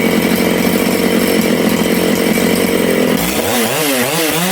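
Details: Big-bore Makita/Dolmar 6400/7900 85cc 54mm chainsaw, carb limiters removed, needles set one turn out: a steady high scream, then an unsteady idle with wandering revs, nearly stalling. The low-speed mixture is lean and was richened.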